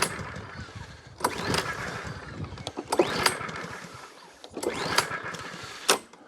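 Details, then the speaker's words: Mountfield HP42R roller mower with standard (non-primer) C100 engine, sat outside a while, new air filter: three quick pull-cord bursts, engine turns over but never catches; choke not engaging, possibly because the throttle cable is broken. "another so is that choking it's been sat outside for a while his new filter that's not actually choking"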